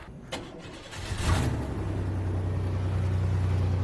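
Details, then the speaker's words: 1992 Chevy Lumina APV after broken exhaust temporarily patched with a Mountain Dew can: cranks, catches within a second and settles to steady even low idle, no ticking, rasp or leak puff; patch holding. "oh that's fired up and hear how it sounds it's gonna sound stupid for sure"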